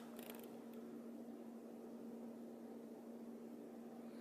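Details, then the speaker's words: Custom comms cabinet with doors open, all fans cranked to maximum, about 42 dB measured: a quiet, steady whirr with a faint constant hum and no rubbing or ticking; normal fan running at full speed. "Let's crank everything up to the max again. Again, I've got both the doors open, so there's no real airflow, it's just noise coming out."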